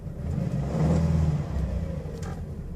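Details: 2.2 engine after timing chain repair: smooth, even engine hum with a brief rev swell and no rattle or ticking from the timing chain.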